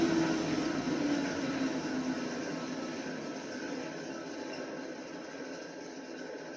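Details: ILG 10-P blower, 1/3 HP 3400 RPM three-phase motor on 240 V single-phase with 10 µF capacitor static phase converter; steady hum fading on spin-down with rough uneven rumble from worn, noisy bearings not yet replaced.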